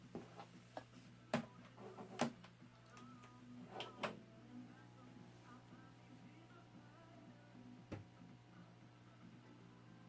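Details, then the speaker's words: 1929 Radiola 66 superhet without cabinet, after replacing the interstage transformer and an open power resistor: faint music and program sound over a low steady hum from the field-coil speaker. The radio is receiving and working. "anyway sounds like it works"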